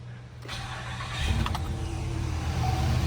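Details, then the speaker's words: Chevrolet Monte Carlo SS, 5.3 L V8, being checked for exhaust leaks: cranks, catches and settles into an even, quiet idle with no puffing or ticking; normal idle, no exhaust leak, rear O2 sensor now switching. "Beautiful. Nice and quiet. Yep, no leaks. That's good."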